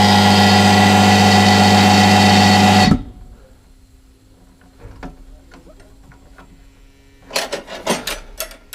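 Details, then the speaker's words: Low-output shop air compressor (about 9 CFM) that has packed up but still runs when switched on: loud, harsh, metallic thumping about four times a second, then it cuts out; it sounds unhealthy. "that sound good yeah it doesn't sound too healthy i was thinking about getting a new one anyway because this is quite a low cfm"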